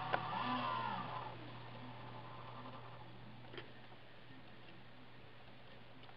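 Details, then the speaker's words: Used desktop PC with bad fan bearings: a whirring fan sags and fades out within about a second, leaving only a low steady hum; the CPU fan suddenly stops running. "cpu fan just stopped running yo something just stopped running in here"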